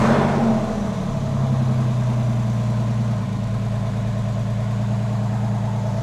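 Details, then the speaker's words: Rebuilt Porsche 911 flat-six, now 3.8L: steady idle with light quick tick from brand-new hydraulic lifters still bedding in; power steering fluid very low. "we've got some brand new lifters that are needing to be worked in that's for sure you can hear them ticking a little bit"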